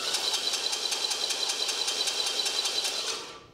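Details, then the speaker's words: Engine starter cranked, starter not correctly positioned to the flywheel: harsh high-pitched metallic clatter about 2.5 times a second as pinion meshes badly and moves back and forth; fix is shimming the starter. "of all the sound is horrendous that's not good and second of all you can sit there and you can see it's been back and forth so what you want to do is you want to go get you some shims and you want to put some shims in the starter okay"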